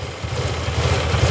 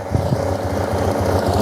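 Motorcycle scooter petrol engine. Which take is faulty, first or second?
second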